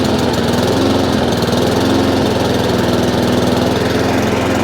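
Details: Honda IZY lawnmower after carburetor work for a fuel leak, now starting on choke: uneven, wavering beat and doesn't run properly; owner knows it's fuel, so the carburetor needs cleaning again.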